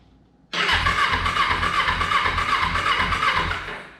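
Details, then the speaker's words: Free Honda CBR motorcycle reported as not running, battery dead at 0.0 V, cranked on a jump pack with the fuel tank off: starter spins the engine evenly about four pulses a second without firing; normal cranking, turns over okay. "sounds promising we got our headlight working this thing cranks sounds like it's turning over okay"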